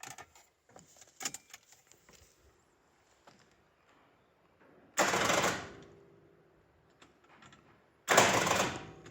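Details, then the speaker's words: 1977 Jaguar XJ12 Series 2 V12, battery fully charged and connections tight: two short starter whirrs dying almost at once, like a flat battery; faulty starter engaging only halfway, stuck, replaced. "you can see almost sounds like a flat battery but the battery is fully charged and everything and I checked all the connections they're all tight so basically the star there is bad on these v12 cars"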